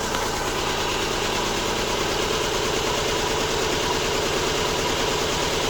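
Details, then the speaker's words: Subaru Impreza with codes P0301, P0303 and P0038 idling after swapping cylinder one and three coils: lumpy, uneven idle with an irregular stumble about three a second, still clearly missing though somewhat better; misfire persists. "it's still missing clearly but but it's better that's [ __ ] weird"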